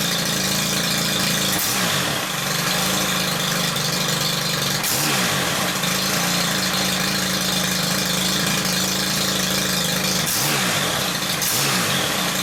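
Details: Stihl combi unit whose revs hunted between revving and near-stalling, after the loose carb tick-over screw was wrapped in PTFE tape: crisp two-stroke buzz at an even idle with a few short rises; idle now steady.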